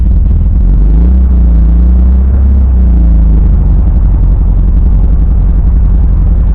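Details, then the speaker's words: 1971 bus engine idling in neutral after a cold start; deep steady rumble with faint wavering hum from the transmission, throw-out bearing ruled out; owner suspects a transmission bearing, not confirmed, plans to pull and rebuild it. "Not that bad now, actually. I definitely have a bearing issue."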